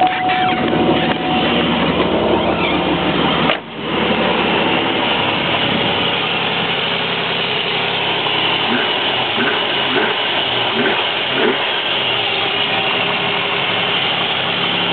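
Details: 1994 Chevy Z24 3.1 V6 idling with the accessory belt removed: an even idle and the whine is gone. The whine was traced to the old, cracked belt.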